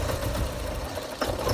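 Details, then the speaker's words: 1988 Porsche 944 with new fuel pressure regulator, DME temperature sensor and reference/speed sensors: uneven idle that stumbles and sags on a quick throttle blip, nearly stalls; owner suspects air flow meter or throttle position sensor. "just wanted to shut off on me when I just tried to turn it a little try again and if I do a quick throttle oh"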